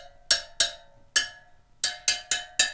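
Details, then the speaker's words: Newly laced dirt bike/supermoto wheel, spokes tightened a quarter turn about three times around. Eight sharp, bright pings with matching high pitch and quick decay as each spoke is struck, showing evenly tight spokes. "I went down around 3 times on each spoke, and it got me to where I was comfortable with the tightness of the spokes. You can kind of hear them if you ping them."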